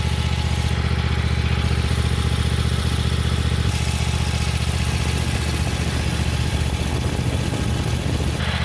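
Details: Cub Cadet XT1 lawn tractor mower after full service (new oil, air filter, spark plugs, fuel filter), oil looking slightly overfull, started on choke: it fires and settles into a steady low throb with an even beat and no misfires or knocking; starts and idles healthily.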